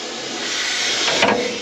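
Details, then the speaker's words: Combine during corn harvest: steady harsh hiss of the running rotor with a rising metallic scrape near the end; bolt missing, so loose flat iron rides up the cone to the top of the rotor and hits it. "And now the flat iron is up at the very top of the rotor hitting."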